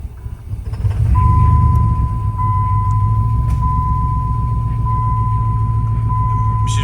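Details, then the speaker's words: Salvage-yard project truck after battery change, started on ether: lumpy, uneven idle loping three to four beats a second under a dash chime; owner suspects a dead cylinder, cause not confirmed. "all right so we went through we changed the battery we got her to fire off like you guys saw but she's not happy"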